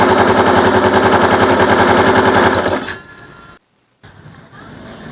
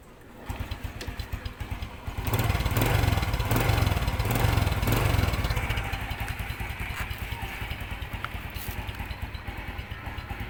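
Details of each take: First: Bonus Sport SR small motorcycle, stored about a year, carburetor overflowing: loud, harsh rapid clattering grind like a grinder while running, caused by the magneto rotor rubbing inside its cover; fixed by fitting a used replacement magneto. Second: Suzuki Bonus Sport SR small motorcycle: brief rev, then a steady, even idle with no knocking from the magneto area.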